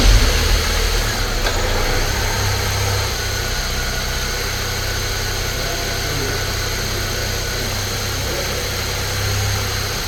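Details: Saab 9-3 Turbo idling after the ignition coils were refitted to cure a slight misfire, with the camera on top of the engine. Steady, even idle hum and smooth low drone with no stumbling or missed beats.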